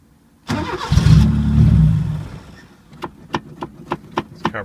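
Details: 1980 Chevy Luv, carbureted engine barely run in years, no muffler (straight pipe): loud open-pipe engine fires, runs raggedly about two seconds, stalls to clicks, can't keep idle. Owner plans to take carburetor top off; sight glass shows fuel; cause suspected, not confirmed.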